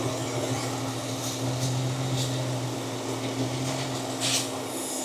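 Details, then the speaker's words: Jeep XJ with code P0304: starting fluid sprayed at the manifold makes the idle pitch shift and nearly stall the engine, which points to a vacuum leak from a loose intake or a bad manifold gasket. "So it tells me that most likely I have either this intake is loose or the gasket is bad."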